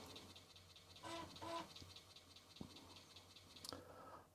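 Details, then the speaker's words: Atari 1040 ST floppy drive reading an old diskette (PC emulator program): quiet scratchy seeking with irregular ticks and a brief buzz, sounding really bad; rough read, cause unclear. "Oh, it sounds really bad."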